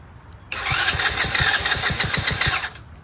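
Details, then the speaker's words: Free Chinese Tao Tao 125cc ATV quad with new carburetor, ignition switch, stator and pickup, on choke and unprimed: fast starter whirr with about ten uneven low pulses over two seconds, engine firing but not picking up and running; hard start, seems to need throttle. "so seems like needs some throttle should I give it some throttle even on [Music] choke it wants to huh"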